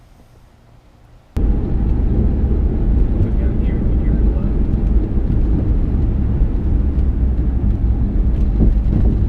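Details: Mustang GT, driving over bumps and potholes: sharp irregular clunks from the rear over heavy road rumble, caused by worn rear sway bar bushings; knocking gone after bushing replacement.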